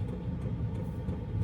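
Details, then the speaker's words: Wippro diesel heater in a van after priming, now blowing really hot air: deep steady rumble and low rushing roar, evenly sustained with no knocks or surges; heater running normally at full blower. "It's coming out really nice and warm. And now it sounds like it's gonna take off and fly somewhere."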